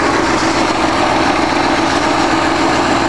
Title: 1965 Ford 352 V-8 Start Up After I Rebuilt The Engine